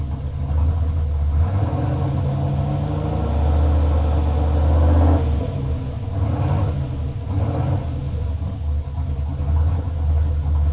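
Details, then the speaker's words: Chevelle LS turbo V8 on Holley Terminator X, first start-up, idling in closed loop pulling 31 of fuel: deep idle surging and wavering unevenly, pretty shaky; rough running because fuelling still needs tuning; oil pressure lower than expected. "all right closed loop it's pulling 31 of fuel pretty shaky it needs to be tuned further obviously"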